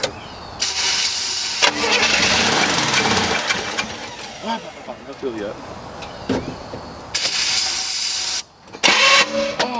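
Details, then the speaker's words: Chevrolet Nova V8 after sitting for years, first start after installing new ignition points and adding fuel: cranks and catches in bursts, then runs with a fairly steady rough rumble before blipping again; starts and keeps running. "Dude, sounds good."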